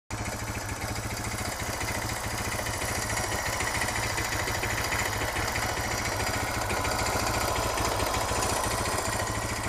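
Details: Suzuki DR650 single-cylinder idling in neutral: rapid, fairly regular metallic clatter about three per second over the exhaust, also present accelerating, fades on deceleration and returns at low revs; valve clearance and cam chain tensioner already checked, source unknown.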